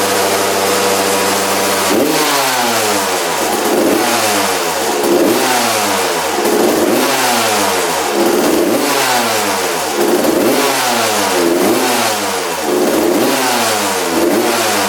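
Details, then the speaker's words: Freshly rebuilt 1993 or 1994 Suzuki RM125 two-stroke: repeated throttle blips with a blubbery, wet note between them; running very rich and fouling plugs, owner suspects the carb and needle position. "nded a lot better so I'm guessing this bike is running really rich and uh that's why it's fing plugs you can see the sludge coming out of the pipe so yeah it's it's burning off a lot of gas so I think there's a car problem"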